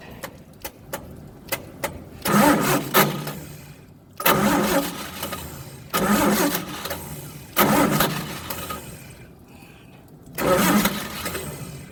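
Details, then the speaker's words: Old truck engine, cranked with choke set: five separate bursts of starter cranking, about two seconds each, never catching. Cause found to be the failed original/old ignition coil, replaced with a borrowed one. Crank, no start. "okay we're back so we determined that the coil on the engine was bad it had the original coil on or an old coil on it"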